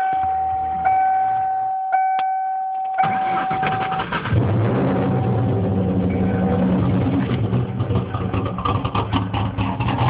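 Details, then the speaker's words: 1996 Mustang Cobra with stage 2 cams, 81,000 miles, began knocking and lost power after passing at 40 mph, no check engine light, only ABS light: cranking then rough uneven idle with dull repetitive knock, suspected rod knock, unconfirmed. "Right after I passed the cop, car started knocking, lost all power, wouldn't idle right. Does have stage 2 cams, but here's the knock if it'll start."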